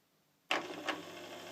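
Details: Samsung washing machine over 9 years old that hummed and would not drain (5E/SE error), now with an added drain pump run from a power supply: the pump clicks on and settles into a steady, even hum with light watery rush.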